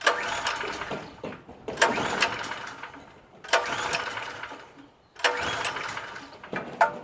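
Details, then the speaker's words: PowerSmart PS44 3000W generator, sat unused since 2017. Repeated pull-starts each give a brief catch and sputter that dies within a second or two. Owner suspects fuel supply; not confirmed. "Definitely wants to run. I don't believe it's broken."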